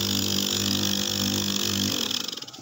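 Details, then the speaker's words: Rebuilt refrigerator compressor, reassembled from good parts after low compression and oil carry-over: an even, steady hum with no rattle or knock for two seconds, then it winds down cleanly; normal compressor run after repair. "kalau sudah seperti ini bisa langsung kita pasang ya kita pasang ke-4 nya jadi Sudah dipastikan bagus kalau bunyinya sudah seperti ini"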